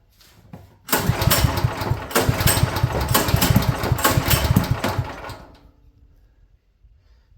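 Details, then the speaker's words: Champion generator sitting at least a couple of years, half choked, seemingly flooded: catches and runs roughly about four seconds with stumbling firing, then dies; spark plug strongly suspected, bad, greenish old gas found. "I think it's that spark plug. 110%. I think it's that spark plug."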